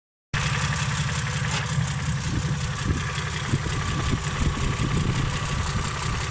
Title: Стучит двигатель стук шатуна? Работа двс